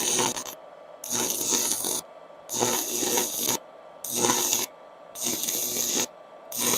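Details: Faiuot 110V handheld IGBT inverter stick welder with 6 variable current settings, ground clamped, welding rod on metal; bursts of harsh frying crackle about a second long as each arc is struck and broken; normal working stick weld.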